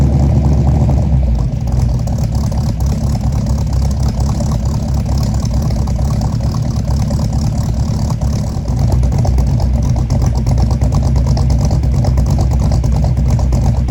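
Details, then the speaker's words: 1964 Mercury Comet V8, freshly built with FloTek 180cc aluminum heads, Trick Flow Stage 1 cam, Victor Jr. intake and 1-5/8" headers, first start: uneven loping low-speed rumble with dips; owner suspects fouled plugs and too-rich idle from mismatched springs. "for the first time and it didn't go perfectly didn't go terribly it didn't go perfectly I think there was a couple things going on uh that contributed to that and basically where it's at right now is I'm pretty sure the plugs are fouled"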